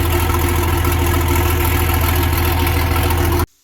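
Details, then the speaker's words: Versatile 800 tractor at idle in neutral with the old, roughly 50-year-old muffler removed: loud, raw diesel idle with a hard low drone and rapid pulses from bare exhaust tubing, then it cuts off. "you can imagine, without a muffler on, this thing's probably going to be pretty loud. I mean, that's all that's there for exhaust tubing."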